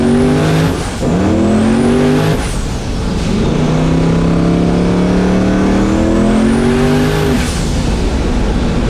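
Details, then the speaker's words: Mustang built for Pinks drag racing at Rockingham Dragway, test hit: engine climbs hard, pitch abruptly collapses and drops out before rebuilding, repeatedly. Car shuts off every time boost comes in; suspected boost cut, unconfirmed, no log data. "The car is just shutting off when it gets into boost. Every single time. Every time. I don't get it."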